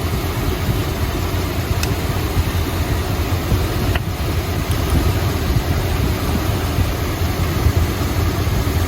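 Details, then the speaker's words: 1972 Chrysler Imperial LeBaron 440 V8, hot, idling smoothly after reconnecting number 7 plug wire that had been hanging loose; deep, steady rumble, even beat, no miss; about 19.25–19.5 inches of vacuum, engine happy. "I'd say Chris's 440 is pretty happy. About 19 and a half, 19 and a quarter inches of vacuum."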